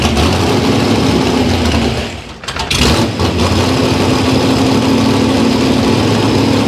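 Cold V8 idling unevenly, the beat sags and nearly dies mid-run before recovering: a worn-out carburetor not holding a steady mixture.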